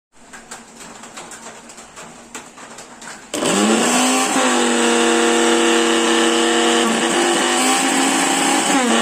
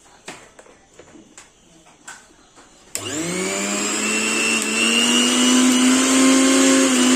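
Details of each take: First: Mixer grinder with a sound problem, before bush replacement: motor spins up sharply into a loud, high whine with a rough buzzing edge, then winds down; abnormal running noise, worn bush suspected. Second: Mixer grinder after a bush change for a noise problem: a few light taps, then the motor spins up to an even high whine that climbs smoothly and holds steady, with no rattle or scraping; running normally.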